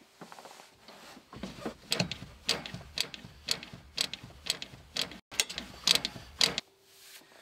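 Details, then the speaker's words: 1960s AEC Routemaster bus RM7, engine off, handbrake off: repeated brake pedal strokes with sharp hydraulic clicks and clunks, only eight before the stop flag dropped versus a minimum of 12; brake accumulators need recharging. "well i only got eight reps on the brake pedal there before the stop flag came down so that tells me the accumulators on this bus need recharging"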